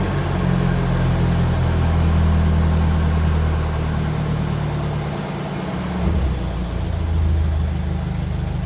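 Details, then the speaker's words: 1957 Ferguson 35 TVO tractor after clearing spitting from the exhaust and setting ignition timing, started on a mild evening: steady low idle about four beats a second, running fairly evenly with no obvious misfire or spitting. "so I'm going to give this a start and see is it any better since I've managed to get a lot of that spit and apart out the exhaust sorted"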